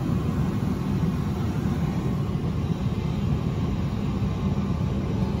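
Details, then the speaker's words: Johnson Controls/Unitary Products residential gas furnace after the flame sensor was cleaned: steady low blower drone; hot-surface igniter glows and the burner lights about three seconds but the flame isn't sensed, retrying three times before lockout with an error code. "it's going to light but it won't sense in the flame there you go all right so that's one he's going to cut back off and he's going to do this three times guys three times and then it's gonna lock out"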